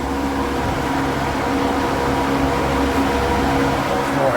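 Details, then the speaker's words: Two stock 1993-02 F-Body electric radiator fans fitted as pushers on a stand-up radiator, not yet bracketed, replacing cheap eBay fans: steady even rush of air with constant low hum, no rattle or ticking; both fans moving serious air, normal operation. "that feels like a lot more air going through there I don't know why these are rated at but I mean there's a serious amount of air going right there"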